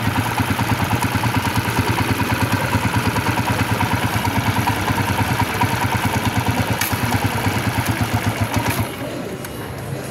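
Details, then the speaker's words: Hard-starting, misfiring, stalling TMX 155 after wiring repair: even single-cylinder putter about three beats a second, no misses, doesn't die when wiring is moved; normal idle. "Ayan mga boss, maandar na ulit. Kahit galaw-galawin pa natin ito, ayan, hindi siya namamatay."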